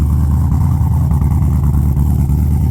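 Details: Engine probably warmed up, with heat-wrapped extractors, started with no throttle on the second go: steady, even low rumble with no misses or knocks, settling into a smooth idle; normal idle.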